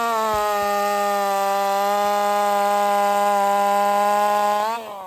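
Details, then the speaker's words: Race chainsaw on its final test cut before the races, with a sharpened steel 23 RS chain: a high, steady scream that holds pitch through the cut, then eases off; it runs strong and clean. "Yeah, I'm happy with that. It's a steel 23 RS chain, but I sharpened it. That's what I'm going to run at the races."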